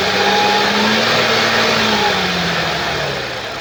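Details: 2013 Audi S4 B8, 3.0 petrol, engine code CGWC, 245 kW, 188,866 km: the engine runs up then settles with a rough, uneven tone and a faint rattle underneath. The noise is caused by a timing chain that has skipped teeth.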